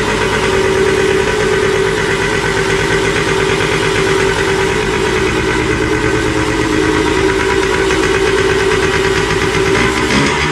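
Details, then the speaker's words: Two-stroke after carburetor cleaning: loud, ragged buzz that never settles into an even beat and wavers throughout; running rough, owner suspects the non-original carburetor is badly adjusted. "et du coup elle tourne mais vraiment comme une patate donc je pense que le carabe il doit pas du tout est réglé"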